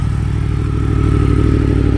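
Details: 2017 Yamaha FZ10 (MT10), about 20,000 miles, aftermarket RPHA exhaust, inspected as a used bike: smooth steady idle with throaty exhaust burble and faint whir, no knocks or rattles; sounds like a healthy engine.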